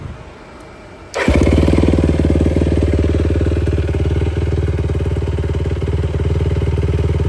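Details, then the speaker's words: 2004 Yamaha YFZ450 after carburetor cleaning (clogged pilot jet) and new ignition: starts first try and settles into a steady, even low idle thump with no misses; radiator fan kicks on, so no overheating. "So, she does run pretty good. You can hear the fan kicked on. It's a good sign. It's not overheating."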